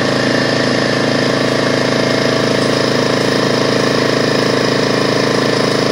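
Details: DeWalt 4.5 gallon air compressor after no-start repair; loud steady fast chatter staying even as pressure builds toward 200 psi cutoff; normal running.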